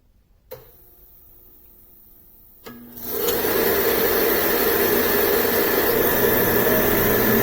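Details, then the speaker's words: Home-built oil-burning furnace with two-pipe fuel system, 6-gallon tank and inline filter: spark turned on first, then the oil pump; faint spark buzz and click, then a whoosh into a steady roar as the oil ignites cleanly. "You can hear it when it ignites, so you know if it's actually burning or if you're just dumping oil in there."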